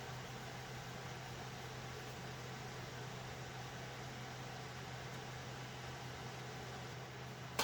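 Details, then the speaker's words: Server with an Alphacool Eisbaer Pro Aurora AIO liquid cooler: steady airy rush with a low constant hum from fans running hard with heat coming off the socket, no clicks or rubbing; loud fan noise, fans to be replaced. "okay so you can hear how noisy these fans are and unfortunately if you look at some of the previous videos after I did this upgrade um the main piece of noise that you'll hear is that server with these fans running"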